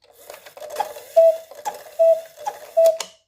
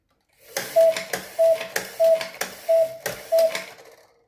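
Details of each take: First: Snow White cuckoo clock after repaired bellows with new skin reinstalled: clear two-tone cuckoo calls about once a second over faint clockwork clicks, normal call. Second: Snow White cuckoo clock after reinstalling a bellows repaired with a new skin: two-note cuckoo call repeats about six times, then hesitates with a weaker call; the bellows are not working right, so they must come off again.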